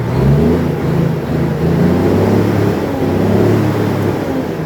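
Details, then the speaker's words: Japanese-import tractor-unit truck, factory E13 (480) diesel, ZF semi-auto gearbox, twin exhaust, 800,000+ km, no smoke: deep, even drone rising and settling with revs, no miss or knock; healthy engine. "ควันไม่มีควันไม่มีดูยรอบเครื่องกันหน่อยมาโคตรไว"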